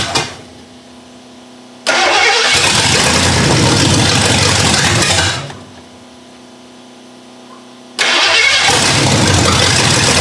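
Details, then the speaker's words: 1982 Ford Granada after years parked, first start with a dry, unprimed carburetor: engine fires and roars, sags and dies, then catches again, and won't settle into an idle. Carburetor suspected, not confirmed. Rough idle and stalling after start. "um it didn't seem to want to idle so i might have to look at the carburetor"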